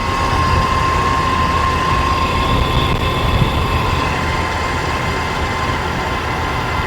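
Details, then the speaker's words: 1997 Jeep TJ at idle, engine bay: steady high-pitched singing of constant pitch over a smooth idle from a worn pulley bearing; owner suspects the tensioner pulley, replacing both tensioner and idler pulleys. "But it's one of them screaming pretty good. So just replace them both."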